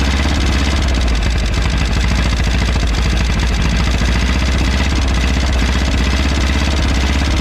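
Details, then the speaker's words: 1951 Willys CJ3A Jeep flathead four running for the first time in about 52 years (last tagged 1969), fed fuel from a bottle with no fuel system yet, smoking and possibly flooded. Deep, steady idle with even firing pulses. "Well, there we go. After, what did we say, 50 some years, this thing's running."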